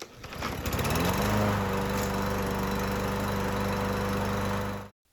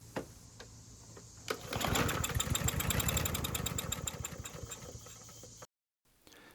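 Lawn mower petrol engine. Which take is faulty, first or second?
second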